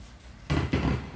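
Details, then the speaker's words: OM 151 (UMAK-1518BT) Bluetooth amplifier at minimum volume with input removed: quiet hum broken by sharp crackling pops from one channel only; the other channel is fine. Amplifier crackling and popping. "ang diperensya niya ay maingay parang crackling sound"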